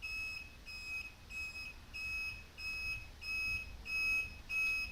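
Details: Replaced blinker relay on a bobber motorcycle, relay covered with electrical tape to quiet it; soft, high, evenly spaced beeps about ninety-five a minute with no skips; normal flasher relay beeping.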